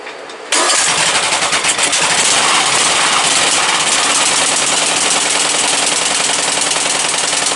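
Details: Briggs & Stratton 17.5 OHV single-cylinder lawnmower engine, muffler fitted, bottle-fed fuel, on a substitute carburetor; catches and runs loud and raspy with uneven hunting beat, no clean idle; carburetor judged junk, other carburetor to be refitted.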